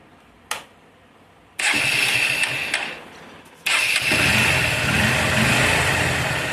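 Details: Motorcycle right after a tappet (valve clearance) adjustment: starts on the second try and settles into an even idle with no ticking from the top end; healthy normal idle.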